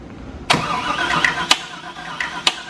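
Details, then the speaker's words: V8 engine for an S2000 swap, first start after cranking to build oil pressure: rough run with sharp, loud clicks about once a second from one bank; first thought a rocker, now suspected rod knock. "that's not good this is something really really loud on this side on this Bank yeah suddenly making a real out click on this side"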